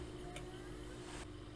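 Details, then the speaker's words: Known-good 500 GB 3.5-inch hard drive powered up in a docking station for comparison with a crashed HP TouchSmart all-in-one PC drive: soft steady hum with faint whine, no clicking or scraping; drive spins up normally, unlike the crashed one. "sound like exactly cycling up the other one did not sound like it was cycling it up at all"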